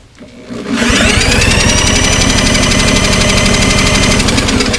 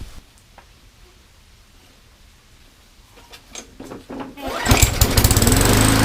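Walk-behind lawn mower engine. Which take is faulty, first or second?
second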